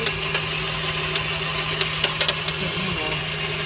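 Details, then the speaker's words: 1998 Mercury van idling with check engine light on and losing power; irregular sharp pops and taps over steady hum: a stuck-open fuel injector passes excess gasoline that burns in the catalytic converter; open injector causing afterfire in catalytic converter. "porque el vehículo está dejando pasar demasiada gasolina a un inyector hay un inyector abierto y eso que suena es el catalizador cuando se quema la gasolina en el mofle"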